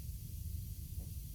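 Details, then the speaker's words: Newly assembled Bendpak car lift, unloaded, air system check: soft steady hiss over a low hum as all four air locks release, slow even descent with nothing catching; very slow because unloaded. Normal lowering. "All right, let's check our air system. That's a good sound. All 4 of those are dialed."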